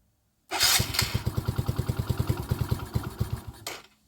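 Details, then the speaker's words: Mini ATV with Mikuni carburetor, after fixing hard starting by readjusting the throttle tapered pin and backing out the idle adjustment; small single catches quickly and idles about seven pulses a second, mostly steady but slightly uneven; idle still needs a little adjustment, full throttle range. "starts on idle I probably still need to adjust it a little bit and it has a full range on the throttle"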